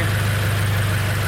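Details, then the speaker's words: Subaru BRZ idling just after an Invidia over pipe and catless front pipe install: steady idle with a quick, even puffing tick from an exhaust leak where the front pipe meets the over pipe, possibly not tightened enough. "see that leak um i'm leaking exactly where the front pipe meets the overpipe so i have to check that out"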